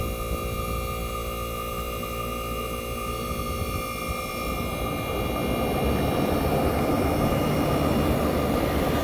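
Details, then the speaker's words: 1965 Fedders Weatherwheel air conditioner on high cool, with the fan cut off, recorded near its Tecumseh AJM compressor: a steady low hum and even mechanical drone with no knocks or rattles. Normal compressor running. "This is the Tecumseh AJM compressor running. So yes, guys, you might tell me this sounds like the Chrysler, but you are right."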